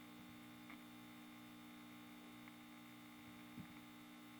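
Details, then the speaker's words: Kerenola Trav-Ler AM tube radio, filter capacitor experiments: steady low residual mains hum unchanged when raising from 66 to 76 µF; 22 µF was worse, 47 µF pretty good. "so taking taking it up from 66 doesn't help i had it at 22 the home was worse i had it at 47 and it was pretty good"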